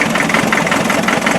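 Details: Land Rover Defender 90 with 2.5 NA diesel, warming up after air purged from fuel system, smoking at startup, valve clearances checked fine: uneven, lumpy idle with irregular knocking beats and stumbling rhythm; mystery misfire, cause not found.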